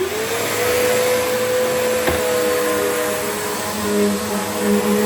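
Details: Bissell Powerforce 75Q1-E upright vacuum, basic model, believed 2009, first test after restoration: motor winds up quickly to an even steady hum with firm airflow roar, no rattles or grinding; normal healthy run.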